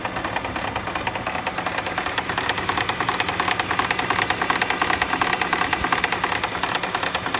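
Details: BMW E46 loud even banging knock at idle, about 1.5 hits per second, speeds up then disappears with acceleration, quieter when steering turned left or right; spark plugs tightened without fix, source unknown.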